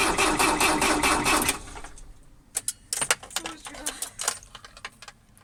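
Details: Mercedes 609D diesel: steady cranking rhythm for about a second and a half, then stops with only clicks; engine never catches, won't start, cause not confirmed.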